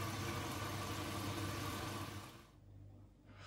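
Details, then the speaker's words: Bosch Serie 4 washing machine, new, filling with water at start of wash: soft steady hum and water hiss fading quieter; very quiet, healthy. "and yeah so it's filling up with water that's pretty quiet isn't it oh yeah"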